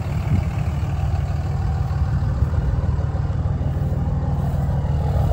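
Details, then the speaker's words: 2003 Dodge Ram 2500 5.9 Cummins diesel at idle, heard at the straight-pipe exhaust: deep, steady, even rumble with a faint turbo whistle; healthy idle, though some soot appears after driving. "these old trucks they sound really good and uh you can even hear the turbo a bit through the straight pipe"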